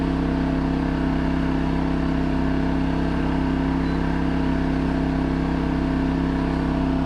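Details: New 2200 W generator running a 5000 BTU air conditioner in 38–40 °C heat, first test after unboxing: smooth, even engine drone at constant speed, steady hum, no hunting or knocking. Healthy running under air-conditioner load.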